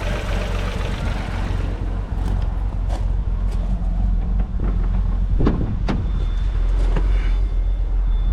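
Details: Vauxhall Corsa 1.0 Ecoflex three-cylinder petrol after new valves, head gasket and timing chain: clean, quiet, even revving through several blips, maybe a faint exhaust puff, slight exhaust blow noted; normal revving.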